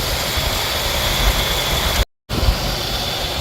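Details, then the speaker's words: 1985 Jeep CJ-7 after overheating and cooling down to draw coolant back in: steady, even idle rumble with no tick, one brief dropout; the tick is gone, possibly the water pump (uncertain). "Now it's not making the tick. Maybe it was the water pump, I'm not sure."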